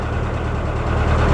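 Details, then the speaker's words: Rover engine that started then suddenly stopped, now with apparently no compression: low uneven lumpy idle after restart; owner first suspected cam belt or tensioner, now suspects holed piston or burnt valve. Not confirmed. "but it wasn't uh sounding very happy then huh what a moment that was genuinely what a moment first thinking it was the cam belt or the tensioner then uh It could only be like a hole in the Piston or a valve that's burnt out"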